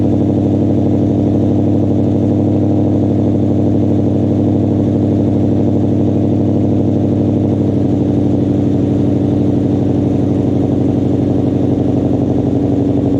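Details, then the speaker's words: Ford mod motor V8 with Corsa exhaust, cold start after adding Vibrant 1793 resonators (2.5in inlet, 18in) to kill rasp; still loud, RPMs hang high; steady deep drone, little raspy crackle; running smoothly. "That is the new cold start with the resonators on. As you can hear, it is still pretty loud on cold startup because the way the mod motors kind of flare up and hang the RPMs up a little high."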